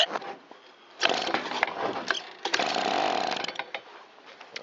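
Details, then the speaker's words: Stihl BG55 blower left sitting a long time, newly re-roped. Carburetor won't pump fuel at the primer, so it runs on a Tri-Flow spray with a little choke. Ragged two-stroke bursts catch and die within a second. Carburetor not delivering fuel, needs rebuild. "Let's see if the carburetor will pump up. It will not. Let's do a quick test with some Tri-Flow and see if it'll run."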